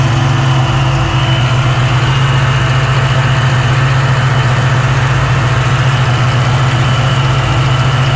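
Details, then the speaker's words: 1987 Saleen Mustang Fox body with replacement 347 V8 after the previous engine had balance issues; smaller cam, new balancer; oil pressure, temperature, vacuum and fuel pressure good. Deep, steady idle, even beat, no knocks, misses or shake: normal idle, smooth and balanced. "Got oil pressure, got temp, vacuum, fuel pressure. Seems to be running good. Nice and smooth."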